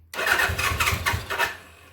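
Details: 1979 Suzuki GS750 motorcycle sitting since 1984, first start attempt, float bowls possibly not yet filled: starter whirring with a few uneven firing bursts, engine tries to catch, sputters and dies; not yet running on its own.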